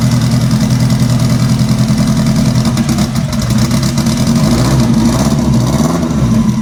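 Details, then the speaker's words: Scarlet, four-cylinder, first start after sequential transmission install, sat about two months in cold weather: lumpy uneven idle, stumbling low beat, one cylinder not firing; owner suspects injectors rusted shut from sitting. "well that's not good it's running uh it's not running all four cylinders and i have a feeling i know why i hope i'm wrong but i have a feeling my injectors are rusted shut again from sitting"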